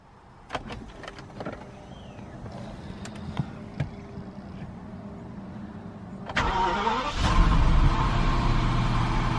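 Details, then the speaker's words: BMW 760Li direct-injection V12, started just after adding fuel injector cleaner to the tank: a few clicks, starter catches around six seconds, settles into a smooth even idle; sounds perfect. "sounds perfect"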